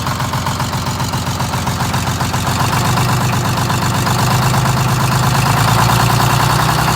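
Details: GM 4104 bus, Detroit Diesel 6-71, cold start around 35–40°F after low-30s night: diesel catches and settles into fast uneven clatter about four per second, rattle building; generator mounting bolts ridiculously loose, being tightened, likely explains oil leak.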